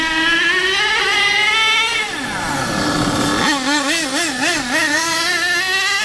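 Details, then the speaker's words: HPI K4.6 nitro engine in a Savage 21 monster truck after needle tuning, driving with fuel nearly run out: a high buzzy note climbs and falls with throttle, clean and crisp; normal running at speed, tune judged near perfect. "um now I think that that is that more or less perfect"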